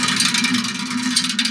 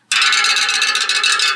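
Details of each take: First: Bicycle wheel spun by hand: hissing whir with dull, uneven thunks and no musical ring, the sound of a low-tension wheel whose spokes are all too loose and need retensioning. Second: Bicycle wheel spokes: bright, clear, evenly ringing metallic pings; properly tensioned spokes, unlike the dull thunk of a low-tension wheel.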